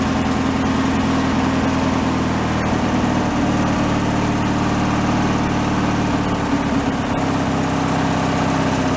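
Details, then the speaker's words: Free Craftsman riding mower revived with fresh fuel and fuel system cleaned, key-started and warming up before an oil change; steady low idle with even beat and constant pitch, no misses or surging; normal idle. "please idle no problem I'll let that run for a minute or two"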